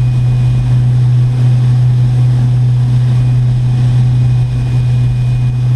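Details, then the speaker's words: Electric boat with a 4-blade prop at about 39 mph, 3600 RPM, 168 A and 149 V: a steady deep drone and rumble through the hull; heavy hull vibration, suspected prop wash. "but I can just hear that there's a lot of vibration coming into the boat probably the prop wash is being hit up too much so uh yeah not quite what we're looking for here"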